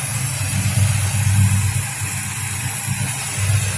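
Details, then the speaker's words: 1971 Pontiac GTO with a rebuilt engine after a catastrophic engine explosion, with ceramic-coated headers, 3-inch exhaust and Flowmasters: deep, smooth, even V8 idle with a steady low rumble, no ticks or knocks; quiet and healthy. "But this one's done. He's got a little knick-knack to do to it. You always do that, but she's in there and it sounds good and quiet."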